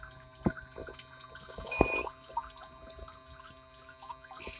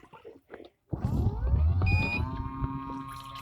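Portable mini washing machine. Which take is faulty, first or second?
second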